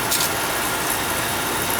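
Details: Oil burner on no-heat callback after nozzle change and drawer assembly reseated (electrodes had been hit, no spark): lights and settles into a steady, even roar, no sputter or pulsing; normal firing.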